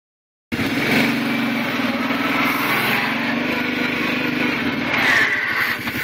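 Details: Kawasaki Prairie 700 ATV: as the engine drops off revs, a rough, gritty grind over the drone, only when slowing down and not in reverse; clutch-area grinding on deceleration, cause unknown.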